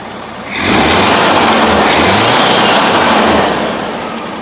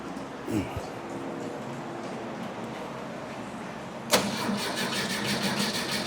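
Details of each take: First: 1971 VW Bus after moving the distributor vacuum advance from the carburetor side port to manifold vacuum, since the advance was not advancing: engine picks up briskly from idle, holds a clean even rev and drops back smoothly, sounding peppier; normal running. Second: 1971 VW Bus that a shop couldn't fix, cranking possibly flooded: steady starter churn at about three beats a second with uneven catches; a timing light shows spark missing some revolutions; owner suspects a heat-related coil fault, though the coil reads 4.1 ohms, within range.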